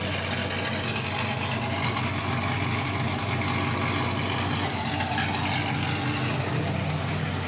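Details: W6 Rampage car (owner suspects fouled spark plugs, wires unchecked) that won't start properly: uneven stumbling idle with irregular dips, no misfire code; rough idle misfire, cause unconfirmed.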